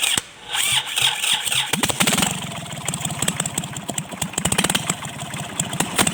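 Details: Kubota L1-255 diesel: cranks, then catches into a rough, rattly beat with hard, uneven knocking at idle, with white smoke; cylinder head fault, repair: replacing the cylinder head.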